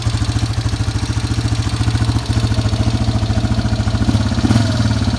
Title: Yamaha warrior 350 ticking noise